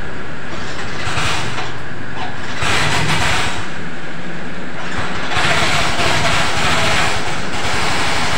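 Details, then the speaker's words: Yamaha Mio Soul GT scooter after repairing a loose ground bolt on the starter motor, which had caused starter relay clicking and no start: electric start fires promptly with a steady beat; afterwards the CVT area is noisy, possibly the kickstarter pinion. "rekan-rekan Alhamdulillah untuk motor si ibunya langsung bisa hidup nih kan ya untuk double starternya"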